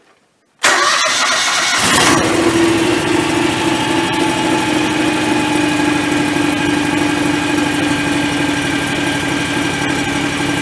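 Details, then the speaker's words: John Deere X738 after fuel filter change, possible air in lines after a first try made odd sounds: about a second of cranking, then fires promptly and settles to an even, steady idle; starts and runs fine. "that sounds fine"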